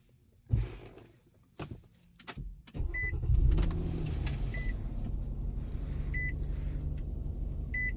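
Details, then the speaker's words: 2012 Nissan Murano with blown head gasket, about 3 hours after adding K-Seal: a few chimes, short crank, catches quickly and settles into a steady, even idle; normal start. "it did it did it normal but this is the first attempt the video will continue"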